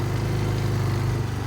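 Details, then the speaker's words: Kawasaki Bayou 220 ATV after clutch repair, test ride in first gear heading into grass: the engine pulls at an even, steady beat under load with no rev flare or chatter. Clutch engagement is immediate and normal. "Fire it up, go for a little quick ride. First gear, immediate engagement."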